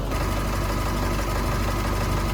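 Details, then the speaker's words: 2.8 Duramax Canyon/Colorado diesel after fuel filter change: cranked two or three extra times then fired; even diesel clatter at steady idle, no stumbles or surging; normal idle. "so it it cranked two or three extra times but otherwise fired right out so we're all set"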